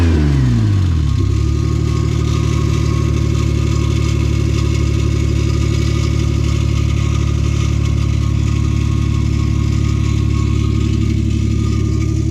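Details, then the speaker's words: Lexus GS300 after rod-knock repair (new ACL race rod bearings, number three had spun, new starter, plugs, fluids): engine catches and idles with a light metallic scrape, no knocking; owner suspects the flywheel scraping the block, not confirmed. "it does make that weird little noise that flywheel scraping against seems like it's I think it's scraping against the block"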